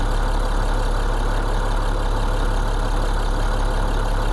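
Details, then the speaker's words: International DT466E diesel, cold start after injector calibration with BMAX J1708 software: smooth, even, steady low diesel idle, no stumbles or vibration; cold misfire resolved, temperatures about 70°C, ICP 862, oil pressure 55. "Y nos fuimos. Como prende eso, serenito, sin vibración. No, es que el mecánico tuyo es un monstruo."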